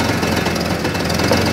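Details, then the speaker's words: Hard-starting old Jeep just started with a portable jump starter pack on a nearly dead battery: steady rough run with an even, busy clatter, no misses or knocks; normal running. "i think it's so light it doesn't feel like anything inside that box but as you can hear the old jeep is running wow"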